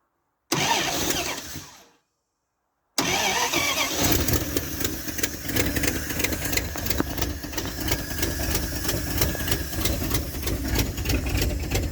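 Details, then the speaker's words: 1978 Dodge D100 V8 after fuel pump swap: stalls, restarts, then idles very low with a sharp steady tick about four a second, knock-like; owner suspects an exhaust leak, idle may also be missing, not confirmed. "Hear that knocking almost? Oh, it's just an exhaust leak. Never mind."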